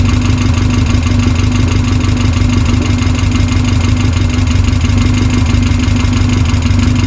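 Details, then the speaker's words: Westfield SEiW kit car engine first started after 7 years unused, new cambelt kit fitted, manual choke, no coolant yet; steady even tickover with low unbroken hum, no knocks, ticks or hunting; idles cleanly. "I don't want to leave it running too long because we've not got any coolant in at the moment, but sounds good though. Sounds really good. Ticking over lovely, considering that's not been run for 7 years."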